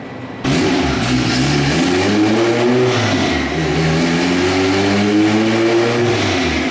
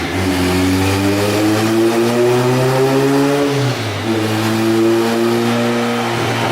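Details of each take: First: Turbo Honda Civic on a dyno on wastegate boost after a new thermostat: clean, strong rev climbing smoothly to an 8700 rpm scream under full throttle, about 350 wheel hp, runs repeatable; healthy pull. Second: Turbo Civic on dyno after new thermostat and wideband sensor, injectors suspected of upsetting readings: revs climb hard, then stumble and drop near four seconds before pulling again; engine breaking up under load, suspected fuel cut.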